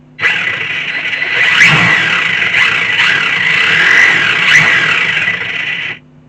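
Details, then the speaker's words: Tamiya Super Champ RC car with all electrics installed but the ESC not yet fully set up with a program card. A sharp electric whine shoots up and holds high for about six seconds; throttle response is far too powerful. "far too much power, but it's all good, isn't it?"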